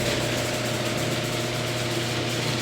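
Even motor hum with a light ratcheting chatter from the drive and a steady pitch throughout; the opener is running normally.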